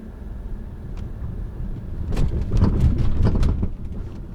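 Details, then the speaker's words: 2013 Lincoln MKZ 3.7L V6 AWD driven slowly over railroad tracks: loose, irregular low clunks and bangs, heard from the driver's side. Owner suspects struts but is unsure; the strut mount bushing looked fine and was tightened. "you hear that it sounds really really loose i'm not sure if it's the struts the car is really not that old"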